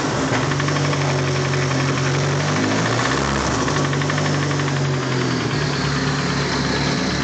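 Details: Used SR20DET turbo engine, the day after installation: steady idle with a deep, regular bottom-end knock tracking engine speed, typical of worn connecting rod bearing; rod knock.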